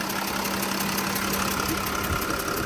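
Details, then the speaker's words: 2013 Porsche Cayenne Diesel 958.1, hood open, heard from the engine side: fast light ticking over the diesel idle, rising with revs, faint steady whistle; owner suspects vacuum or injection issue, maybe injector O-ring or coil; not confirmed. "maybe vacuum related or injection related it could be like an injector O-ring or maybe a back coil"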